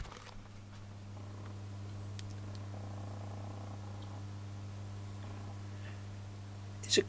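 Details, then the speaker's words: Homemade audio amplifier with a deliberately created ground loop from more than one earth point, producing a deep, steady low hum; a single earth point makes the amplifier silent. "you make a ground loop I've made it here for demonstration and here you hear the ground loop"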